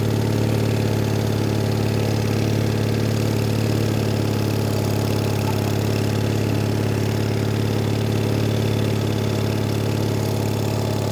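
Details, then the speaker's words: Onan engine on a Davis/Case trencher, idle speed lowered a little: even low chugging idle about 3.5 beats per second, no knocks or stumbles; idle speed correct. "slower the idle a little there we go that's where it's supposed to be yeah she's mint"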